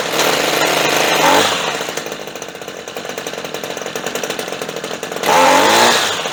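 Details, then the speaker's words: Redmax two-stroke weed eater that would not start, now running after fuel sprayed into the carburetor: buzzy revs, steady even idle, then picks up cleanly; sounds good, normal running. "Ikke nok med at den kører, det lyder godt."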